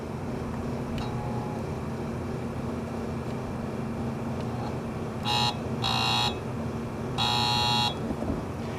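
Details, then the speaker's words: 2009 Embraco fridge compressor, factory PTC start device, windings 3.1 Ω run and 6.0 Ω start with no ground fault, on a start attempt: a low hum with three loose buzzing bursts as it fails to start; mechanical failure suspected. "It has kind of a loose, buzzing noise to it. That's not normal. Usually if they're stuck from dried up oil (from the lines being cut) you don't hear that that loose buzzing noise. So that, to me, indicates some kind of mechanical failure."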